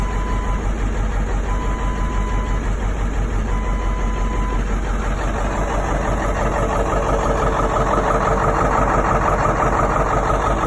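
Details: Ford 7.3 Powerstroke diesel at cold startup: heavy clatter at idle with an uneven, lumpy beat near three pulses a second; rough idle, cause not evident.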